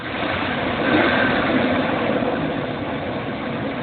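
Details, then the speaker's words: 1998 Chevy Astro van, 4.3 L V6, after misfire/backfire fix: MAP sensor cleaned and ECM reset; steady, even idle hum with no stumbles or missed beats, running smoothly — normal idle. "I reset the ECM on it it's running beautiful idle's good no"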